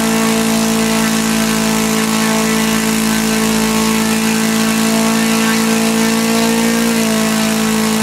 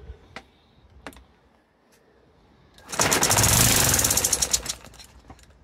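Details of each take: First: Laser four-stroke model engine from a Flair DR1, earlier no compression and would not start; after the carb, which had lost its factory settings, was reset, it runs smoothly: steady high-rev buzz, slight pitch change near the end, no misfires, needle not leaned out. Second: Small Laser four-stroke model engine from a Flair DR1, previously seized with low compression, started after heating and carburettor adjustments having lost factory settings: faint clicks, then catches, runs rough and ragged under two seconds and sputters out; only just firing.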